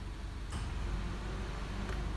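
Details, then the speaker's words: 2002 Honda Civic with no A/C complaint; compressor control signal grounded through a test light, steady idle then sharp clutch click as the compressor kicks on, engaging normally, pointing to a bad control unit. "so if everything else works we'll hear the compressor kick on"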